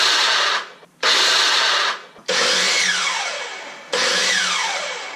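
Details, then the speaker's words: DeWalt DW708 miter saw after replacing the armature bearing to cure a loud saw: the motor spins up to a clean, steady whine and coasts down smoothly, with no grinding or bearing rattle. "And there you go. No more noisy chop saw."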